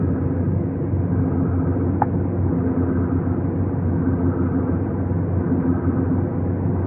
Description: My 2015 GTI Autobahn has a horrible grinding noise for the past five months, and VW Corporate is not willing to help.